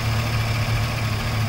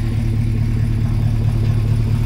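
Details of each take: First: Freshly swapped GM Gen V V8 idling steady and smooth after a throttle body relearn reset with the engine off; this fixed a rough, off-sounding idle. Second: Fresh Gen V V8 swap idling with a low, slightly uneven, muffled rumble that sounds held back; scanner shows idle timing at about negative twenty degrees, retarded too far.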